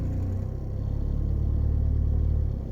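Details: 1993 Vauxhall Cavalier MK3 1.7 GM indirect-injection turbo diesel: quite rough at idle, but with revs raised it gives a deep, even drone that holds steady, no misses or knocks; smooth running at raised revs.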